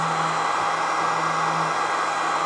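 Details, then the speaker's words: ISDT FD-100 battery discharger: its small 40 mm cooling fan runs loud, a steady, even high-speed rush with a faint low hum and no rattle, while discharging a pack at about 5–6 A; normal. "It really does not take up a lot of space, so, and it has just a little tiny 40mm fan, so it's going to be loud."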